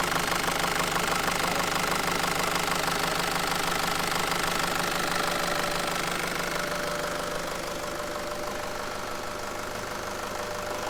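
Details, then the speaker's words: Nissan ZD30 diesel idling after belt tensioner replacement, restarted while the drive belt is wet from water: light regular chirp about three a second, a squeak rather than the former squeal; new belt to be ordered. "It's definitely improved. Like, that's a squeak, not a squeal. Mhm. That's wet belt."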